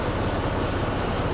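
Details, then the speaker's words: 1925 Rolls-Royce Piccadilly just cold-started, timing set late, running on strong choke; charging, fuel and oil pressure up. Low, steady rumble with no knocks, misses or squeals. Normal cold idle while warming up. "Here you can see, of course, we're still cold. We just started it."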